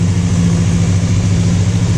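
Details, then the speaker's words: Free motorcycle on choke after carb tops cleaned: steady fairly even raised idle around 1600–1700 rpm, revs picked up from before and holding. "It certainly picked up a couple of revs from before. Sitting at about maybe, I don't know, 1600 RPM, 1700."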